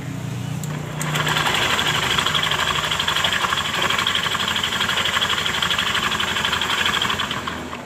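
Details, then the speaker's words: Honda Beat Pop scooter after CVT case oil-seal replacement for oil seepage: buzzy idle swells and sags every second or two; unstable idle, owner suspects weak injection pressure or another problem. "jadi seperti itu cuma langsam dari motor ini tidak stabil mungkin dari tekanan injeksinya yang lemah atau masih ada kendala lain"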